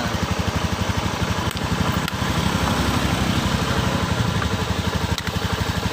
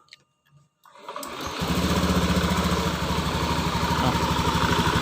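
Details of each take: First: Honda Beat eSP PGM-FI scooter with water sprayed onto the spark plug cap: quick steady idle broken by sudden stumbles and crackles as the wet cap arcs, causing misfires and hard starting. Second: Honda Beat eSP PGM-FI scooter with a sputtering complaint, before water-spray testing: catches after a second and settles into a steady, even idle with no stumbles or missed beats; running normally.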